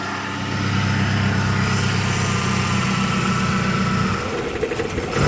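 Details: 1993 Fox-body 2.3L four-cylinder idling with an uneven, lumpy low beat and slight stumbles instead of a smooth hum; rough idle, cause not identified.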